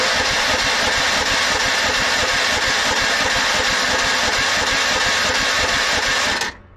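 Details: Yardsman lawn tractor, 15.5 hp Tecumseh engine with plastic-bowl carburetor, very weak battery, carb possibly empty after sitting: slow, labored cranking, about three and a half turns a second, no firing; gas not flowing through, won't start without priming.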